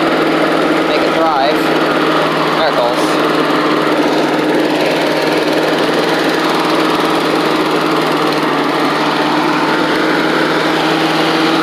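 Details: Old Australian-built Rover Turbothrust mower started, with a working 12-volt generator: loud, steady high-pitched drone with no surging or misses; engine runs cleanly.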